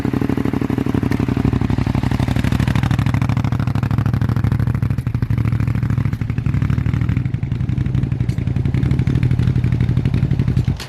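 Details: Abandoned 2001 Suzuki SV650S, just revived: steady rapid firing pulses with slight rise in speed, then engine shuts off; running, condition unclear, still needs work.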